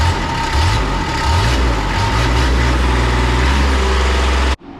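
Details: 2001 Kawasaki Mule 2510 diesel idle with a loose, uneven metallic rattle over the low knock. The rattle disappeared with some throttle and with the clutches removed. Cause: worn bushing in the CVT drive clutch.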